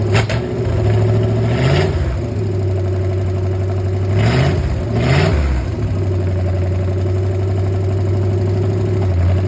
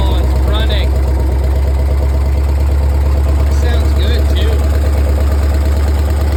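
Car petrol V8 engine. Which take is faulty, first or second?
first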